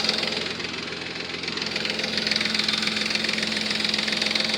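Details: 3.5 Nissan Maxima at idle after a Motor Medic engine flush and new synthetic oil; lifter noise worst at first start, quieting after 20-30 minutes: quick light ticking about three or four per second over a steady idle; lifter tick still present.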